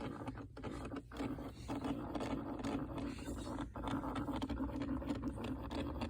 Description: My 2006 2nd gen Prius makes scratching noise seemingly from the gas pedal.